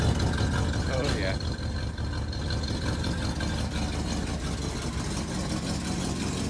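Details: 1967 Plymouth Fury III (383 V8, per tags) just after first start in 15 years, smoky as it burns off dust: deep, steady V8 rumble with a quick rev blip, settling back to an even idle; normal.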